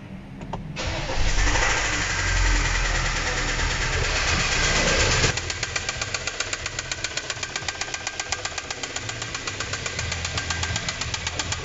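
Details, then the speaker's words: 1.6 petrol car engine starts and idles with a loud, steady metallic knock about four times a second; a severe engine knock from internal wear, filmed only briefly because running with such knocks can cause serious damage. "hice una toma muy rápida porque cuando son golpes de motor lo mejor es tratar de no encender mucho tiempo el vehículo ya que puede ocasionar daños graves"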